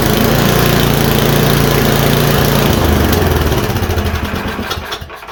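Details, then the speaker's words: MTD Yard-Man 1024 two-stage snowblower, choke off, covers back on, drive and chute tested: engine runs fairly steady, then sags unevenly and dies; low-speed carburetor circuit still needs work, chute and drive work. "got to work on the lby circuit it moves I seen stuff come out the shoot so shoot works"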